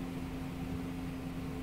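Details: Air compressor electric motor: steady electrical hum with no run-up, energised but not turning; checks cover starting capacitor, running capacitor and overload protection.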